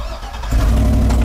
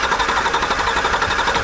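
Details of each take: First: Circa-2010 Chevy truck with a no-crank/no-start, suspected bad ECM or CAN network fault: after trying several keys, one key works; brief crank, then the engine catches cleanly and settles into a steady even run. Normal engine start. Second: 2010 Chevy truck, suspected CAN network fault or bad ECM: fast, even starter cranking that never fires while manually energizing the crank relay, because the key isn't held in crank so no start command or fuel is given.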